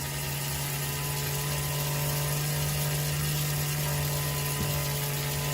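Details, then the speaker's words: Old Athearn Blue Box gray jet motor at about 11 volts during tune-up break-in, current dropping to 0.6 A: loud steady hum with rough buzzing rattle; noisy motor running in. "If we can stand this noise, he's going to keep dropping."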